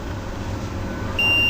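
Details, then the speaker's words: Usha air-cooled generator alternator that smokes when running, bridge rectifier diodes tested with a multimeter: over a low background hum, a continuous meter beep shows both diodes are shorted. They are replaced, observing plus/minus orientation. "यह भी डबड shut है यह दोनों का दोनों डाब shirt है"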